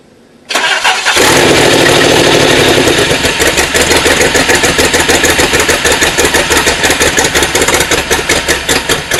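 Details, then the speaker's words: DeLorean with the aluminium intake hot: cranks, catches and settles into an uneven, loping idle with irregular beats. There is a huge intake vacuum leak; the bolt has to be tight to seal, and a new bolt is needed. "it's gonna have to have that bolt tight because as you can see it's already got humongous leak in there and if that's not sealing properly then this thing will never run right"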